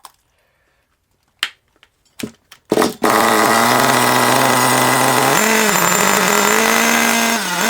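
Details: Long-stored HPI Savage 21 nitro RC monster truck after leaning the low-speed needle a full turn; engine fires and screams at a high pitch that surges and dips unevenly, still running rough and unhappy.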